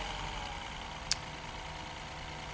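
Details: 2012 Mini Cooper S Countryman (R60) petrol at idle after replacing all four ignition coils with Bosch coils for a cylinder 3 misfire: quiet, steady, even hum, one brief click; no faults afterward.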